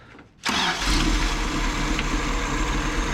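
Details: 1984 Toyota dually petrol engine, with spark restored, earlier running rough as a three-cylinder with number one misfiring; now running on all four cylinders at a steady, even idle, much better.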